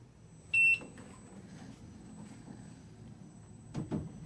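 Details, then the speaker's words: Begode electric unicycle free-spinning on the stand; one short, sharp high beep over the quiet spinning motor, the overspeed warning starting around upper 40s to 50 mph. "all right i think we started hearing the beeps at around like upper 40s maybe 50 right there um free spinning"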